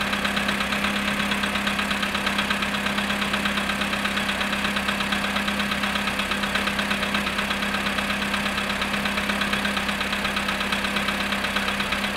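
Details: VW Polo sedan, cold start at -7.5°C after sitting 14 hours: a steady idle hum with a light, regular tapping of about three per second; the knock's source is unknown.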